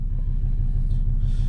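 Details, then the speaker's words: 2005 Volvo XC90 2.4 D5 diesel just started at −3°C after a glow plug change: even, steady low rumble with regular firing pulses, no misses or stumbling; glow plugs working, healthy cold idle. "And that's that. That's our glow plugs working. Pretty decent."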